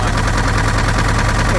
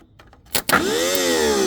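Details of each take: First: An early-1970s Case 580B backhoe diesel idles with a heavy low drone and a constant breathy rush of crankcase blow-by. It is slightly better after an added treatment but still bad, and an in-frame rebuild is planned. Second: Case 580B backhoe, thought to be early 1970s, mechanical diesel, cold start after sitting a couple of weeks: a short crank, then it fires at once into a steady, even clattering idle. It's an easy normal start despite heavy blow-by from the tube.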